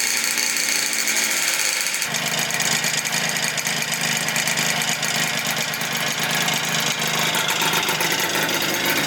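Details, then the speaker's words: 120cc stroker Honda Elite scooter two-stroke, before tuning: uneven buzz with a ragged, burbling beat and no clean note. Sounds like it's running super rich or has a fouled plug. "this thing sounds like it's running super rich or it has a fou plug or something"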